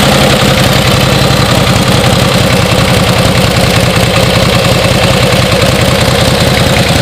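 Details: 1949 Harley-Davidson Panhead, original paint, idling after finally being started: loose, loping V-twin beat ticking over evenly with no misses; runs well, just needs to be ridden.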